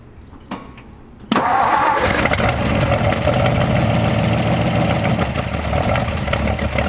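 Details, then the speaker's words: 1964 Ford F250 dump truck, fuel system work: starter cranks steadily at about three and a half turns a second but never catches; no fuel delivery, non-working fuel pump suspected. "Mook, I'm gonna go on a limb and say you don't have a working fuel pump."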